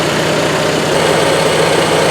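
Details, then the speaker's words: Onan Marquis 5500 RV generator (1998 Bounder motorhome, 20+ years old, 60 hours) after carburetor rebuild, running on gas from a can instead of its tank; even steady drone throughout, no misses, knocks or surging; normal running. "it is running now on the gas out of that can."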